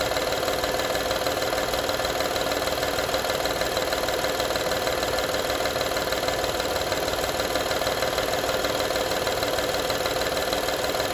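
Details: 2012 Honda Odyssey engine at steady idle: fast, fairly regular light rattle, roughly two beats a second, over the engine hum; engine rattle at idle, cause not yet pinned down.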